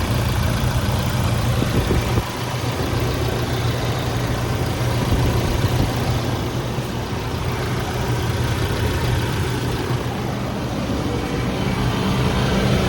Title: Toyota Diesel under engine bay rattle noise #2